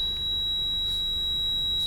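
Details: Mercedes W202 cabin, engine running: thin steady high whistle around 4 kHz from the ventilation system; disappears when a certain part is removed and the opening covered, cutting the green tube didn't help; cause unknown.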